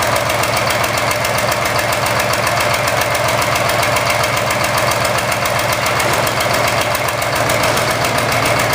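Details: Engine idling with an uneven ticking beat of about three to four pulses a second and a stumble in the rhythm; misfire suspected, not confirmed.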